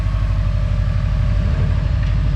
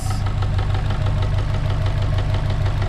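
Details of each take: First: Subaru 2.5 engine with 450,000 km idling steady, low and even with no knock after a failed timing-cover pulley/tensioner (NTN) causing knock was found and replaced. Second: Subaru 2.5 with 450,000 km at idle: sharp regular knock about three per second, loud on the timing cover and silent on the block where rod knock would be; failed, leaking timing belt tensioner.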